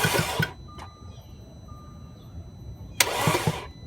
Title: Please help mechanics 2010 Audi A4 won't start this morning was running perfect yesterday